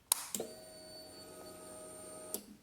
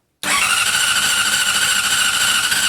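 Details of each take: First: 2006 Honda CBR600RR that cranks but will not start; fuses good, lithium battery about two months old and fully charged. A relay click, then a steady roughly two-second hum stopping with another click: normal fuel pump prime. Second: 2006 Honda CBR600RR, ridden daily, fuses and nearly new lithium battery good, fuel pump primes, chain recently tensioned: two bursts of fast even cranking, about 3.5 and 1.5 seconds, never firing; cranks but won't start, cause unknown.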